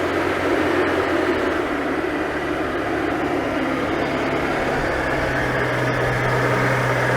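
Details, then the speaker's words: Oltcit Club 11R petrol, bottom-of-range model driven from Poland about seven years ago, first start off trailer: steady, even low hum with no knocks, misses or surging, very smooth; normal idle. "so that's what an ultimate sounds like we finally know yeah it is very smooth i think that's a bit smoother than my gsa that's a bit embarrassing"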